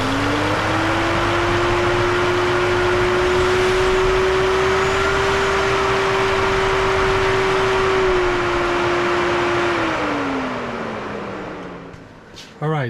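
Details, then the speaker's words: BMW N55 engine first start: catches at once and holds a smooth, even idle for about ten seconds, then winds down cleanly; a healthy normal idle before break-in. "that's our first start engine sounds good"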